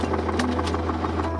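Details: Land Rover Defender broken down with the temperature light on and no power; heavy steady drone with quick, uneven light knocks about six or seven a second. Thought to be internal, and the cap leaks; engine knock, cause unconfirmed.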